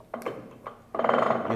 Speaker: hear the Chuck making that noise so it's confirming to you that the gear is half engaged so you'll have to engage it more to ascertain a certain gear